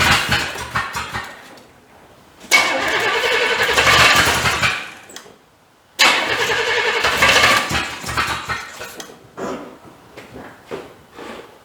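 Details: 1985 C30, diesel swapped to gas engine, first start. Two short bursts of ragged, uneven running that sputter and fade; won't settle to idle, seems to hit on about 3 cylinders. Firing order suspected, heavy diesel-smelling smoke.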